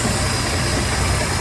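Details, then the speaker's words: Warm 4.3L MerCruiser TKS carbureted sterndrive in a 2007 Tahoe boat, idling about 650 rpm after the enrichment valve was replaced. The enrichment cycle has ended and it runs at normal mixture: a steady, even, smooth idle with no stumbles. "now we're just running at a normal fuel error mixture no enrichment going on"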